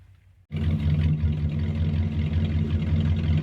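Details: 1978 Dodge D150 Custom truck idling just after getting it running with a new ignition control box and a working fuel pump. It catches at once and settles into an even, steady burble with no misfire or stumble; a smooth, healthy idle that may need a little tweaking.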